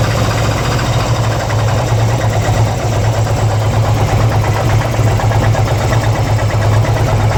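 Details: 2002 Harley-Davidson Ultra EFI Twin Cam at idle: lumpy V-twin idle with irregular light ticking over the low beat; abnormal engine noise, owner cannot identify the cause.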